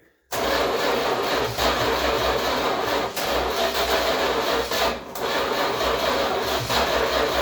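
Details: 1966 Chrysler New Yorker V8, parked 18 years (last tagged 2005), first start with fuel drip-fed into the carb: runs ragged like a bus with near-stalls, not getting enough fuel; carb needs a rebuild.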